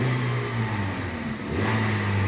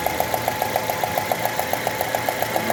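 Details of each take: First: Citroën C3 1.5 2016, 69,000 km, after repair of engine noise (fourth cylinder found full of debris): revs up and settles with an even clean note, no knocking left; noise resolved, sounds healthy. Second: 2016 Citroën C3 1.5: at idle a sharp, even tick of about 3.5 per second rides over the engine. Plug inspection found the fourth cylinder full of debris.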